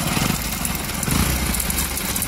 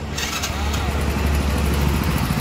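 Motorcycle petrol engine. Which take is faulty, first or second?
first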